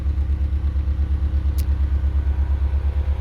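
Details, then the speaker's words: Subaru EJ20 swapped into a front-wheel-drive car, now fuel-injected and dyno-tuned to about 60 kW at the wheels, driving at steady speed: deep, even exhaust pulse with no knocks, misses or rattles; normal, smooth running. "it's fun to drive the engine is so smooth I could probably balance a coin on [Applause] it"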